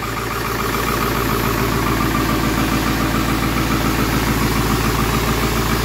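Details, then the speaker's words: 7.3L Powerstroke turbo diesel (Navistar T444E), 372,000 miles, first start in about two years; steady even idle clatter with a muffled, throttled exhaust note as the exhaust back pressure valve works; smooth, normal cold idle. "sounds like the exhaust back pressure valve"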